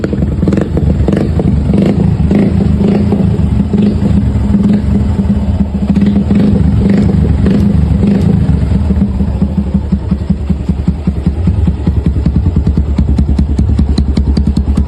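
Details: Suzuki Gixxer 150 single-cylinder bike idling with a steady hollow knock, about three a second, over the low exhaust thump; suspected piston slap, not confirmed.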